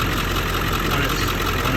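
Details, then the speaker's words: Ford 7.3 Powerstroke diesel at cold idle: steady but lumpy, uneven clatter; passenger-side exhaust ports show only one cylinder warming, three cold — misfire from three non-flowing injectors despite passing buzz test. "now when it's cold this passenger side only one of them will get warm and then the other three won't warm up"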